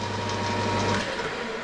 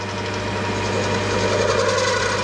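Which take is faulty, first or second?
second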